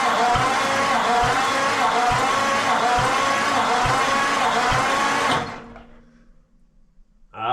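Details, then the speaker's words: 1940 Ford flathead engine, sitting since the late 1970s, cranking slowly and evenly on a weakening battery during a compression test; this cylinder reached about 70 psi, less than the first but holding compression. Owner suspects leaky valves or rings elsewhere. "we got up to about 70 lbs there so not as good as the first but it's got compression"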